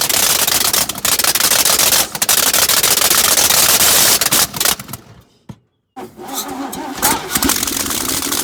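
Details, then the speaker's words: 1965 C10 with a 307 small block, first start in 20+ years, run without exhaust manifolds: loud, rough popping run that stumbles and needs throttle to stay alive; ignition timing is way off because of a bad ground. "Number 2, 2 and 3 go together because I can't time it up right because the ground wasn't good. So you're gonna see the time is gonna be way off, it's gonna be shooting fire or whatever."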